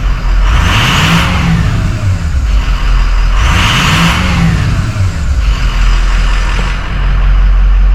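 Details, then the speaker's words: 2006 Ford 6.0L diesel pickup after repair for a no-start with low injection oil pressure (stems and dummy plug seals replaced): steady diesel clatter that rises and falls smoothly when revved, no stumbling. Normal running. "sounds like it's running well we're going to let it run here for a little bit before I take it out make sure she's running nice and strong"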